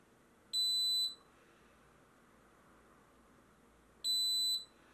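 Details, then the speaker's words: Xtool fire safety kit on laser machine, quiet room: two half-second shrill beeps about 3.5 s apart; very brief flame detected, unit gives warning only and goes no further. "Donc on voit la centrale a sonné, a averti et pas aller plus loin."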